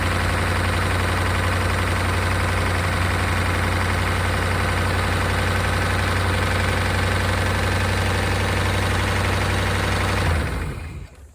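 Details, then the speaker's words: 1992 Chevrolet Caprice wagon said to be seized after sitting in a field, now running with oil about a quart low: a rough idle with fast, regular light ticking. Noisy lifters are suspected. "see if we can uh fire back up and get those lifters to quiet down uh that sounds a little louder gun lifters very"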